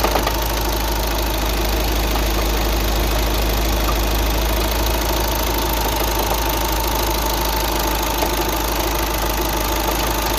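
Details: 2009 VW Tiguan 5N at idle: loud steady idle with a dense, fast tapping of about three knocks a second running through it; engine knocking of unknown origin.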